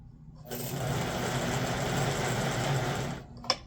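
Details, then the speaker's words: 1958 (owner thinks) Lionel 2383 Santa Fe F3AA locomotive before truck regreasing, E-unit lever slow to drop: coarse, uneven buzzing whir laboring for about three seconds. Stiff motor from old nasty grease in the trucks, later replaced with white lithium grease and oil. "So I'm trying to fix the stiff motor issue, and I took apart the trucks, and yeah, these were full of a whole bunch of really nasty stuff."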